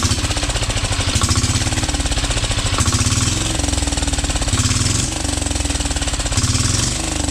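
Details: 12 HP air-cooled single-cylinder diesel after overhaul for hard-to-turn, no-start fault, rocker/valve clearance set: fast, even, hard-hitting beat at steady speed, no misses or knocks; running healthy.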